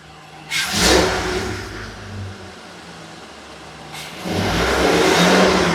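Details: 2019 Ford F53 with the 6.8 V10 gasoline engine, after repair: it had a P0304 misfire and a noise at cylinder 4, and a right-side shaft was replaced. Now no codes; blipped twice from a quiet idle, revs rise and fall cleanly with no stumble or noise.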